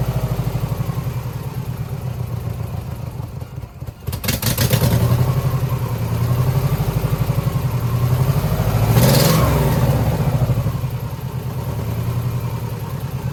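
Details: 2009 Subaru Forester X NA EJ253, remanufactured OEM heads, third start after engine install: once caught, idle stumbles about four times a second with dropped pulses; cylinder misfire; owner suspects cylinder 2 from cracked head or water in block.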